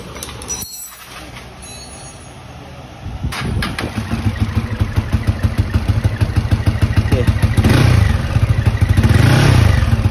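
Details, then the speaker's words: VF3i motorcycle project with IKK jet rod and Rapido racing exhaust, started before a dyno session: a very quiet exhaust, but a fairly even ticking clatter about three per second comes from the head. Camshaft clatter; the cam and head need replacing. "Cuma dekat aku punya head sini lah, kalau korang dengar tadi dia punya bunyi head tu, dia ada masalah dengan dekat bahagian dia punya cam tu. Jadi bahagian cam tu nanti kena tukar cam baru, head tu tukar yang baru punya, nanti baru okey lah."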